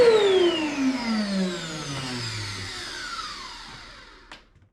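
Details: Chip extractor motor a few years old, after owner's repair of suspected bearing fault and a scraping noise: smooth whine falling evenly in pitch as the motor spins down, no scraping or grinding, so the motor sounds healthy.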